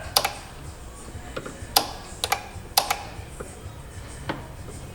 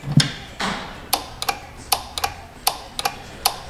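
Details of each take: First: 2015 Kia Sorento 3.3 GDI with an intermittent crank-no-start the dealer couldn't fix: sharp irregular relay clicks in small clusters come when a fuse in the fuse box is pushed, suggesting a poor connection there. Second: 2015 Kia Sorento 3.3 GDI with an intermittent crank-no-start, previously failed dealer repairs, fuse box damaged; crisp paired clicks about every 0.75 s as the engine relay is switched on and off by command, pointing to a connection issue.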